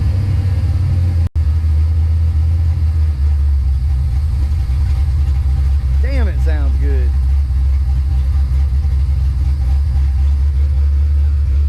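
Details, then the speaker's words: Supercharged Fox-body Mustang V8 at idle, car sits for long periods, no tune; steady even low rumble with supercharger whine likened to a power steering pump, no knocks, misses or hunting. Normal idle. "good that's the supercharger you hear so this supercharger sounds like a power steering pump like wine kind of almost it's weird"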